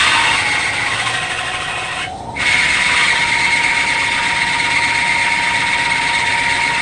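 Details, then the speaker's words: Drill press spindle speeding up in a very cold shop, a steady high squeal over its whir from the cold drive belt slipping, before the spindle warms up. "It's very cold in here. You can hear the belt squealing."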